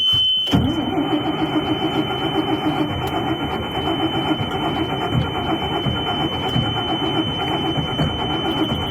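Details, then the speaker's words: Diesel bus with new glow plugs that seem to cool during long cranking, glow plug or relay suspected: long, even cranking drone under a steady high beep, no firing; crank no start. "if I crank for 15-20 seconds stop wait 30 seconds or so let the glow plugs go through a full warm again it's much easier to start"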